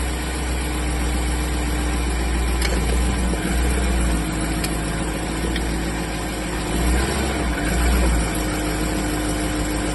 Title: clicking noise